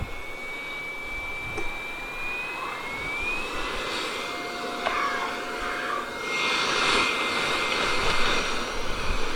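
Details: Hot air rework station gun's small blower fan running smoothly after lubricating its dry, previously rumbling bearing with two drops of oil: steady airy rush, thin high whine, no grinding.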